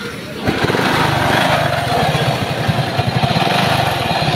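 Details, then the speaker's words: Motorcycle with sidecar running a 32-tooth sprocket: loud, rough, rapid clattering rattle over the engine beat, harsh throughout, loudest from one side of the engine; customer also reports slipping. "Grabe po yung ingay. So bubuksan natin yung part na ito dito ng kanyang side para malaman natin kung ano yung problema, kasi dito yung malakas yung tunog, no? Dito yung nanggagaling yung napakapangit na tunog ng kanyang makina."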